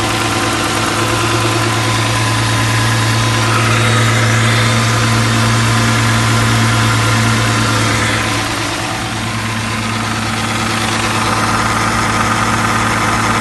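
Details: 2008 Dodge Charger 3.5L, just after valve cover gasket replacement, checked for leaks: steady, even idle hum at constant speed, no ticking, hissing or misses; engine runs smoothly, no leaks seen.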